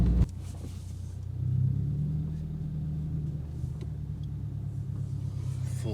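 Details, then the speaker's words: 2022 Subaru WRX driven through a full-lock U-turn with no sway bar end links fitted: only low steady road rumble, no clunks. "lock no noise so that tells me that end link is doing something"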